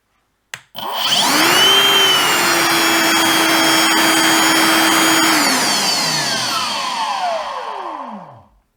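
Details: Milwaukee Packout vacuum cleaner, previously dead, run with motor removed and wired to battery after a partially faulty fuse was found: steady clean high whine, even, smooth coast-down; healthy motor.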